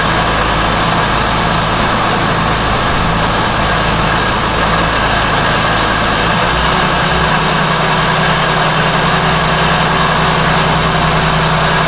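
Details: Engine on 47 ft Carver motor yacht mid-Gulf, idling: rough metallic grinding; pulley hot, belts tight; sounds like metal on metal, suspected pulley bearing failure, not certain, possible debris flying off; motor then shut down.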